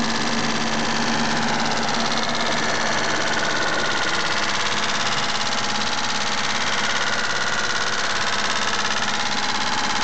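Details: Mitsubishi GTO at idle: a fast, light, regular tick about three per second over the engine note; owner suspects lifter tick, unconfirmed, and plans an oil change to Millers 10W-40 fully synthetic.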